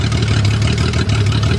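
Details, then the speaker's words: 1982 Toyota Cressida, fuel pump switched off and running on residual fuel pressure: steady low even idle with no misses and no black smoke; owner suspects too much fuel pressure, possibly a faulty regulator, as it floods and stalls with pump on. "it's got too much fuel pressure. It's getting too much fuel."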